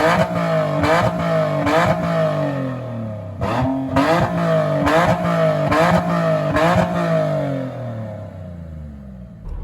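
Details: Nissan 370Z drift car with custom tucked exhaust, Y-pipe and electronic cutouts open, engine and oil warmed up, revved higher in gear with clutch in: crisp repeated rev blips rising and falling cleanly, no rattle or popping; healthy loud exhaust.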